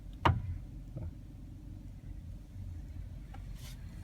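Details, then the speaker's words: 2014 Kia Carens, 135,000 km, Korean-market car: one sharp metallic crunch then a softer clunk over quiet idle when turning the steering, recurring all day, especially waiting at lights to turn left; steering or suspension noise, cause unknown. "раз появился сейчас промо для кого-то бы что-то передернуло металлическая все исчезло и вот так целый день тут появляется на на повороте тоже такой стула"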